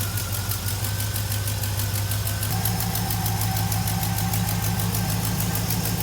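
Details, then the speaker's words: Project Whitesnake V8 idling after swapping the FiTech 400 fuel injection for a 650 Brawler carburetor. Deep, steady burble with an even lope and a slight idle step-up; runs clean, as good as ever or better. "as good as it ever was probably even better"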